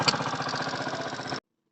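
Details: Rebuilt Honda CD 70 engine, first start after assembly: the small single idles evenly with a light, quick tappet tick on each beat. Tappets are deliberately left slightly loose, to be adjusted after 50–60 km.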